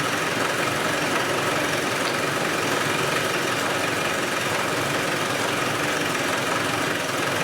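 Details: Land Rover 110 diesel idling with the valve covers off and oil getting around the engine: even, steady clatter with no dropped beats or stumbles and no sign of a compression fault; normal idle.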